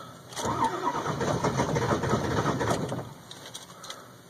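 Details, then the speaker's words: 2002 Ford F350 7.3 Powerstroke diesel cold start at about 34°F after letting glow plugs warm two to three minutes: starter churns about three beats a second, engine never catches; hard start, taking about 8.5 minutes before starting with white smoke. "but at almost 8 minutes now trying to start this thing something's got to give"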